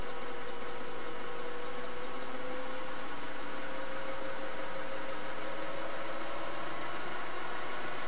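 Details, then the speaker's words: Singer Model 401A sewing machine, run with the foot pedal pressed by thumb at varying speed. Smooth low motor hum climbing gently as speed comes up, no knocks or rattles; runs quietly and healthy. "This is just a demo of how it runs. Speed variation. You should hear that it's fairly quiet."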